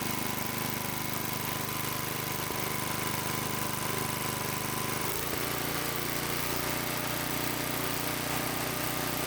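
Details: Small single-cylinder tiller engine idling in neutral after about 20 years sitting, once fuel was added; steady, even putter with a hiss over it, no misses or knocks: normal idle.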